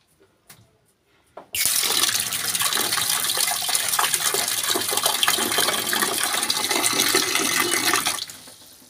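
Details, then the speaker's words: LG top-load automatic inverter washing machine, set to wash, after a part was replaced for very weak water filling: a click, then a strong, steady rush of water for about six seconds, then it stops. Good inlet flow, a healthy fill. "So okay na. Lakas na ng tubig niya."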